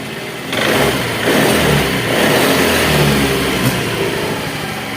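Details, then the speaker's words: Honda Vario scooter that stuttered and died on throttle, after repair, battery uncharged: starts immediately and takes quick throttle blips cleanly, revs rise and settle without stumbling; healthy revving. "Oke, enak ya, langsung ya. Oke, langsung bunyi. Coba kita gas. Nah, sip ya, sudah sip."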